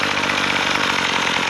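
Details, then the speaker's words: Troy Bilt two-stroke weed eater, warmed up, after carb fix turning the mixture screw counterclockwise to cure bogging down: steady buzzy idle, even and unbroken, no surging or stalling; normal idle, full power restored. "Mine was really bogged down. Now you can see I have full power out of it."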